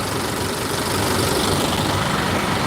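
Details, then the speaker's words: 2017 Honda Accord after replacing rattling alternator decoupler pulley clutch: steady even idle with smooth low hum, no rattle or chatter from front of engine; normal idle, noise gone. "So, now what I'm going to do is I'm going to fire it up and make sure that that noise went away."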